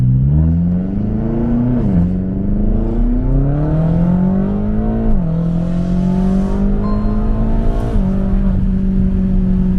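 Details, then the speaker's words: BMW X6M, engine and transmission about 6,000 miles, driving with windows closed and sunroof open: hard, high-pitched raspy exhaust climbing through revs with clean upshifts. Loud but normal sport exhaust note. "And on the way to the shop, I'm gonna let you guys hear how high pitch and raspy this exhaust is. And I only have the sunroof open. As you can see, the windows are all closed, and it's still extremely loud and raspy."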